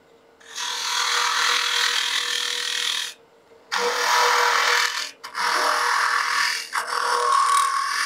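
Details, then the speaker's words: Woodturning an egg with a gouge, opening the hole with the bottom wing; going deeper and wider overextends the gouge. Harsh scraping bursts with faint ringing during each cut; tool flexing and chattering, time to change tools. "as i continue to open this up and i get deeper and wider i get this annoying sound that is the gouge letting me know it's being abused and it doesn't like what we're doing here so don't continue on with that that's just flexing that tool and making that terrible chatter"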